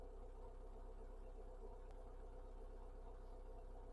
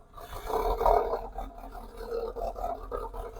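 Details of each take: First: TF after fitting a new O2 sensor and fuel filter (previously rough, hesitating, wouldn't tick over; head gasket failing with coolant loss and mayo on dipstick): low steady idle, even beat about four a second, no misfire; normal idle. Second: TF with head gasket failure suspected (coolant loss, mayo on dipstick) and engine warning light, before fitting a new O2 sensor and fuel filter: idle surges and sags every second or so, fighting to run, and stalls shortly after.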